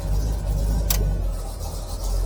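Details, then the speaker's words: 1965 Chevrolet Impala convertible at idle: low steady idle, a short click as the AC compressor engages, then engine note sags slightly as rpm drops under the added load; normal. "I've got the air conditioner and heater I'll go ahead and start this up you'll hear the RPM of the engine drop when the compressor turns on"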